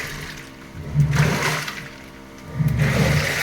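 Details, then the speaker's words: American Home automatic washing machine after repair of a drain fault, wash cycle: water sloshes in two surges of a couple of seconds as the agitator swings back and forth; motor still strong, wash now normal. "Okay na lahat ngayon okay na yung wash niya"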